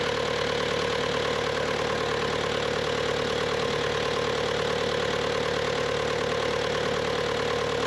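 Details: Bobcat T300 diesel skid steer: even, steady clatter at a constant idle speed with no knocks, misses or hunting; normal idle.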